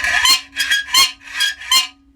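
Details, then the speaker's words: Hacksaw cutting metal held too far from the vise jaws: five shrill squeals, one per stroke about every half second, as the work is pulled by each tooth and springs back; chatter, cured by clamping closer to the jaws. "that squeak is called chatter what causes it are the teeth pulling the um pulling the job the teeth comes along and as as the teeth pops off the end the job will spring back the next tooth comes along pulls the job and then clips off the end and springs back"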